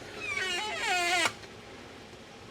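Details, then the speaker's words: Coolant mixing station valve on first turn-on: a high wavering squeal slides down in pitch and then stops once oil reaches it and siphons in. It is a normal dry startup squeak. "when you first turn it on it's a little squeaky sounding and usually you can just turn it off and then turn it back on and it kind of gets away from that"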